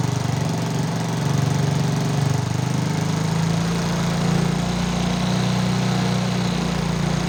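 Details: Motorcycle after repairing a stripped spark plug thread in the cylinder head without engine teardown; a snapping noise was traced to a loose exhaust clamp bolt. Starts immediately and idles with a steady, even single-cylinder beat, no misses or rattles: normal idle.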